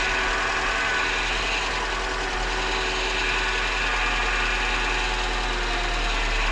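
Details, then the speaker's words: 1998 Mercedes C230 (W202) revived after sitting since 2018; uneven idle with faint irregular ticking over a steady hum, rough but not stalling; cylinder 4 misfire code not returning, MAF sensor code present. "rough I mean she's not running great at idle but it's idling And the cylinder 4 missfire fire is not coming back"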